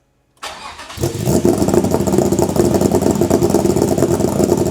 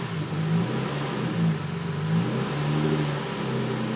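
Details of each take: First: Toyota MR2 with V6 swap on a Haltech ECU, running on half fuel. Lumpy, choppy idle surging about three times a second; failed-throttle limp mode (no pedal wired) suspected of cycling to hold 1700 rpm, not confirmed. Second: Toyota MR2 with V6 swap on Haltech R5 ECU, just after throttle pedal signal fixed (previously held ~1700 rpm rotational idle): clean idle with light throttle blips rising and falling without stumble; normal idle and revving.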